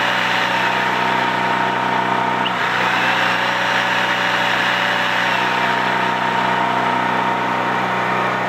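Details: Used Champion C46540 generator after tune-up (cleaning, oil change, new spark plug, oiled air filter): steady even drone at constant speed, no misses or surging; normal running.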